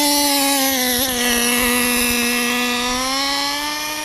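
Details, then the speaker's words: RC car engine in cold weather at full throttle: high buzzing scream sags and holds flat instead of climbing; running rich, bogging at top end, high-speed needle needs opening for the cold. "You can hear how it's kind of bogging down when it gets to top end. The high-speed needle needs to be opened up a little bit."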